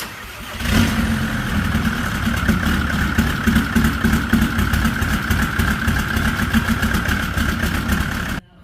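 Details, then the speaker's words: VW T4 diesel, replacement engine fitted after the turbo exploded and went through the old engine, first start after refilling fluids: short crank, catches and settles into steady even idle, no knocks or misses; first start went well. "you go. First start. That went well."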